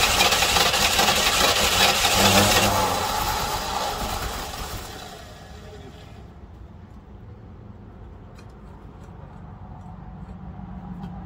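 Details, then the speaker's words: 1968 Buick Riviera parts car V8 start attempt after timing set and fuel poured into the fuel bowl; loud burst of cranking and revving for a few seconds, then falls back to a low rumble; doesn't hold. "It's trying to start, but something's not happening."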